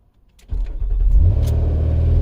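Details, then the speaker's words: 2007 Nissan Murano 3.5L with a random crank-no-start (customer suspects the fuel pump), started after the disconnected battery was reconnected. A short crank, then it catches within a second and settles into a steady, even low idle: a clean, normal start. "it starts huh [Music] so it just started um that's interesting"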